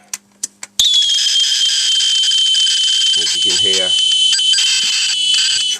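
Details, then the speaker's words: Amstrad CPC 464 cassette deck after cleaning and service, playing a tape: after a few clicks, a steady high data screech plays evenly without dropouts or wavering; the deck is reading the tape properly. "volume control that's actually not sounding too bad really so that um the actual unit seems to work quite nicely"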